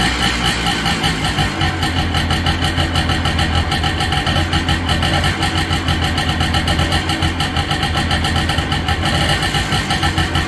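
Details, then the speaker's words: Low-hours Honda ATC250R two-stroke three-wheeler during restoration, hard to start but now running: fast, even two-stroke crackle holding a steady idle, constant low drone, no misses; runs good, normal idle. "So it runs good, and now let's drive it."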